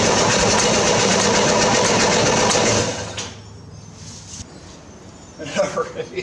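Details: 1968 Corvair being revived after sitting: the starter churns about three seconds, the engine barks briefly, then goes quiet. It has spark and catches but won't keep running.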